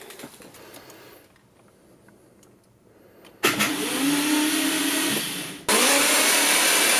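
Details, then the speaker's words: Subaru STI with rebuilt engine, first start attempt on jump: weak, labouring starter whir rises slowly then drones without catching; battery was dead with failed cells, not charging, later replaced. "Alright, so battery was dead, dropped all like a few cells, so it's not charging."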